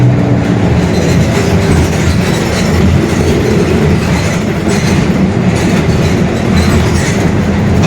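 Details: Mercedes-Benz OF-1721 Bluetec 5 city bus, 2021 build, Mascarello GranVia Midi long body, onboard while cruising: a steady deep droning rumble under road noise, holding even throughout, a growling worn rear differential.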